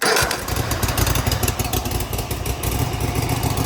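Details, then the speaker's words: Cub Cadet ZT1 zero-turn mower with a new throttle cable and lever, after readjustment and a battery recharge, started on choke: it catches quickly and settles into an even, low, steady idle with no misses. Correct low idle. "All right, so now we got low idle. That sounds right."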